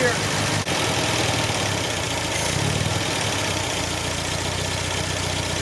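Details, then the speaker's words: 1974 MGB, just warmed up with chokes eased open after installing a major part and flushing clean fuel to the carb; even, slightly slow idle with no misses or knocks, idle speed still needs raising: normal idle. "the idle just has to be raised but this thing is still sitting here and idling really really really good"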